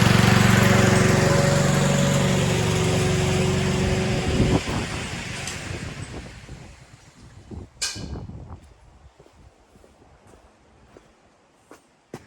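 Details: Self-propelled lawn mower after an oil change, new blade bolts and drive spring, and a drive-lever adjuster tightened: holds a steady, even hum about four seconds, then winds down cleanly with no knocking or rattle; runs healthy.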